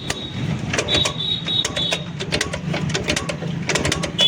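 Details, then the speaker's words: Honda Dream Yuga 110 motorcycle: each kick-start brings sharp, irregular metallic clacks with no firing and no compression; valves suspected of striking the piston. "यह यह mistake आ रही है य sound kick मारने पर यह sound आ रहा है दोस्तो"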